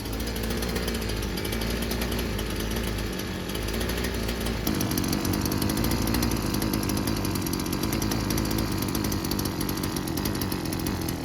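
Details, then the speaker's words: Old Husqvarna two-stroke weedwhacker after the carburetor replacement and choke correction. A strong, steady high-pitched buzz holds at full revs without stumbling. Runs healthy. "It runs like a husky one. Like it sounds like it's going to blow up. I think we're good."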